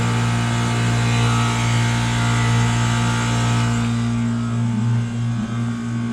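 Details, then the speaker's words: 1993 Comfort-Aire 18,000 BTU (1.5-ton) 220 V window heat pump in heat mode on a cool October night, blower on high: steady low hum with an even blower-wheel rush and no rattles or squeals, running normally. "It's now running on high. There's a little blower wheel in there."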